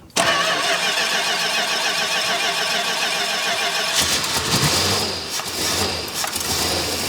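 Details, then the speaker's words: 1969 Dodge Charger General Lee, first start after years sitting, one spark plug missing: catches and settles into an uneven loping idle with a stumbling beat over fuel pump buzz; running on seven cylinders. "we only got seven cylinders right now but it is idling so once we get that seventh plug the E plug it'll smooth out for sure"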